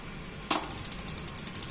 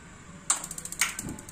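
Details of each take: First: Gas water heater not lighting: rapid even igniter ticking, about twelve sparks a second, with no solenoid valve click; burner won't light. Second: Gas water heater with a too-high LPG regulator pressure problem: about eight quick sparker ticks, then a soft whoosh as the burner lights and ticking stops; flame sensor detects, ignition normal.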